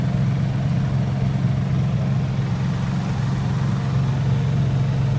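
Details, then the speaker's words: Honda 3000i inverter generator running about a 12 amp motor, medium load: soft, steady low hum with slight fan rush at even speed; normal quiet running under load. "it's running a 12 amp lower motor for a jumper volatility you know medium load for it nothing not a whole lot extremely quiet"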